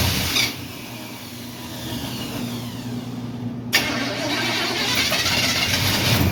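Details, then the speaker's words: Freshly built 350 Chevy V8 during break-in, after valve covers were tightened to stop leaks: fires and settles into a steady, even idle with a smooth rev; normal running. "I'm still stoked though it runs damn okay"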